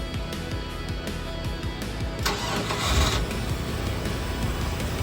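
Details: Mercruiser 305 V8 in a 1995 31-foot Silverton yacht, starboard engine, during rebuild: brief crank, then catches and settles into a steady low rumble; clean, healthy start.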